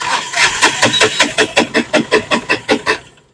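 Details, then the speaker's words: Mahindra Maxmo passenger diesel that sometimes starts and sometimes doesn't: starter churns about two and a half even beats per second for three seconds without catching, cranks but won't fire. "एक बार और मारो बस तो friend यह गाड़ी start नहीं हो रही है"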